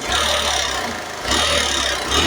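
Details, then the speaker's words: Suzuki GD110 small single after multiple repairs and an oil change, ready for pickup: even low idle rumble rising and falling gently, no knocking or rattling; noisy on arrival, now quiet, normal idle. "Ayan, goods na mga paps. Tahimik na. Nung dumating to dito, maingay."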